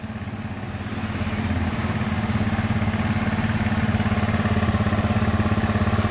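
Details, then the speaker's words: Carbureted Honda Beat scooter that died on the road with a draining battery, after reconnecting the broken white charging wire to the regulator: steady, even idle with no stumbles; normal idle. "Oke Ayo Mas kita hidupkan enak ya hidupnya guys"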